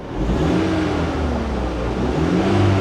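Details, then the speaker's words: Minivan at an auction yard, timing chain engine, quarter tank of gas, revved: climbs smoothly through a couple of quick revs and settles back evenly, no knocks, misses or rattles; normal engine revving. "it's smooth it sounds decent"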